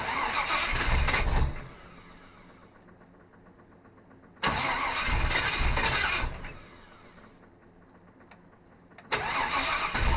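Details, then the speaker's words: Small-block Chevy 350 V8 (from a '46 Chevy) in a '55 Willys wagon, first start attempt: three bursts of steady starter cranking, never catching; crank no start because the fuel pump is not delivering fuel, second pump to fail. "Well, I'll tell you this. That fuel pump is not pumping fuels. We got it to a certain point and stop."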